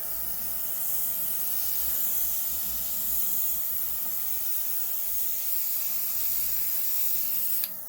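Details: Rakuby rechargeable portable airbrush and compressor, spraying water with the lever pulled back to open the needle: steady high hiss of air and mist with no sputter or pulsing, cutting off cleanly; spraying normally.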